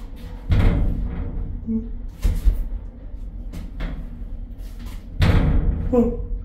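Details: Lift makes three heavy bangs roughly two to three seconds apart over a low rumble while moving; dysfunctional lift in England, cause unknown.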